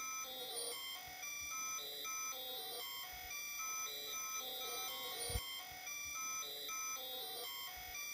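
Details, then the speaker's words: 52-year-old computer's magnetic core memory heard through a bat detector during CT reconstruction: repeating high chirping patterns every couple of seconds, pausing during display updates; normal ultrasonic core memory access noise. "so I think that proves that this is indeed uh the axis of the memory that we're hearing in ultrasound"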